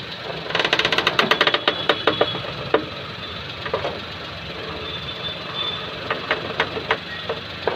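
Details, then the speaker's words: Maruti Suzuki Alto idling with bonnet open; sharp clicks and creaks from the front suspension when steering, attributed to a broken rubber strut mount letting the shock rise so metal rubs on metal. "Means ഇതിനുള്ളിൽ വരുന്ന rubber mounting പൊട്ടിയിട്ട് shock മേളിലോട്ട് കയറിയിട്ട് ഈ കാണുന്ന metal ഇതിൽ ഒരയുന്ന സൗണ്ടാണ് ഈ കേൾക്കുന്നത്."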